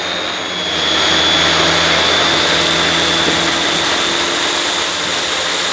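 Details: Refurbished used Dyson DC21 Motorhead canister vacuum, bought smelly and damp, brush bar spinning on carpet; high steady motor whine with only a faint rattle underneath; owner thinks the powerhead sounds better than the DC23; normal running.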